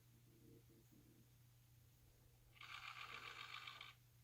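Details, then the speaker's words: Thorens TD 165 turntable after installing a motor thrust bearing: a faint hum breaks into a loud fast buzzy knock as the grub screw is mis-set, and the knocking goes away once adjusted properly. "hear the knocking? And then as I dial it properly in, knocking goes away. And now I have a quiet turntable."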